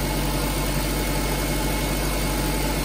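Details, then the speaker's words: Nissan Grand Livina idling after replacing the AC pulley set, whose water-damaged, loose, dragging bearing caused a rough bearing noise from the belt drive; now smooth, steady idle, noise gone. "Ini setelah kata ganti puli AC, suara mesin normal kembali, tidak ada suara berisik lagi."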